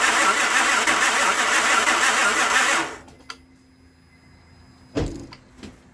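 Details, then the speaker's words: Crank-no-start towed-in car, ether sprayed without even a backfire: steady cranking whir for about three seconds stops abruptly, then only short clicks and thumps as the starter cuts in and out; suspected worn ignition switch contacts. "That wasn't me cutting the switch off and on to start it up. So likely it needs an ignition switch."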